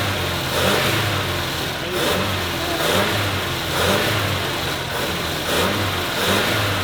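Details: 1986 Ford F250 Super Cobra Jet V8, just got running after sitting: revved up and down about once a second, note rising and falling unevenly, not running clean; rough running, hoped it will clear up, cause unconfirmed.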